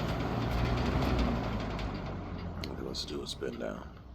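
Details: 1970s Galaxy Turbo Stream 20-inch box fan, 3-speed non-reversible motor, screws not yet tightened (slight cage rattle noted earlier): even hum sinks in pitch and fades as the blades coast down, no rubbing or knocking. Healthy motor.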